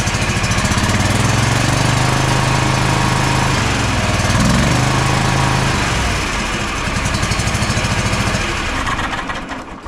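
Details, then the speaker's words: Bad Boy zero-turn mower with Kohler 7000 series KT745-3013 twin: it idles unevenly with an irregular stumble, then drops away. Spark, compression and fuel test good; the fault is the ignition coils, which let a cylinder misfire. "no change that tells us even though both of these cylinders are firing independently we're getting spark we're getting compression we're getting good fuel and it's still not running right we've got a problem with our ignition coils"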